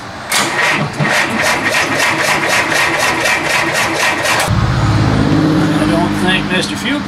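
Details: 1948 Chrysler Town and Country, long unstarted, with fresh fuel: starter turns engine over evenly about four beats a second but it never fires; fuel pump possibly not yet primed, unconfirmed.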